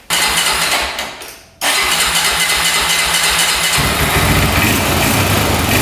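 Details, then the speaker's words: 2004 Honda 400EX single-cylinder quad, after carb clean, valve adjustment, new coil, boot and spark plug: starts and runs rough, blubbering and popping under throttle, bogging and backfiring like crazy; coil was not the problem, fault still unresolved. "I can hear backfiring like crazy. Yeah, I don't think the coil was a problem. Still doing the exact same thing."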